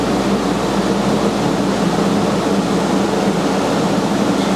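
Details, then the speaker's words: Zephyr Engineering LaserVac 1,500 CFM pulse-jet dust collector for laser or plasma CNC, 3 hp motor, running: steady, even fan roar with a low motor hum, no knocks or rattles; quiet, normal running. "you can hear it's a really nice quiet running machine no issues"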